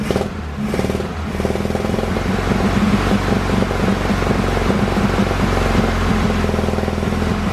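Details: VW Bus air-cooled flat-four first start after new fuel lines fitted: after a ragged catch it settles into an even, steady idle with clattery chatter, no misses, though fuel leaks at the fuel pump. Normal idle.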